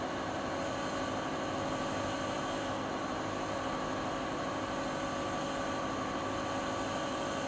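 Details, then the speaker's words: Siemens iQ300 WG41A1X1TR washer (9 kg, 1000 rpm) near top spin speed, rated at 72 dB while spinning. A steady, smooth whir and constant hum with no knocks or rubbing; healthy but not silent. "Evet arkadaşlar, makinemiz sıkmasını bitirdi. Sizler de makinenin ses seviyesini görmüş oldunuz. Fakat şöyle söyleyeyim, makine sıfır sessiz değil."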